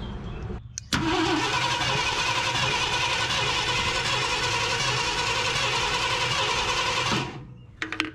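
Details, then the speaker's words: 1972 Ford F250 Ranger XLT Camper Special cranking on its mechanical fuel pump, primed both ways: starter spins steadily about six seconds with no catch; no fuel delivery, crank no start. "all right guys well i've prime primed it both ways no matter what i do here we're not getting any fuel"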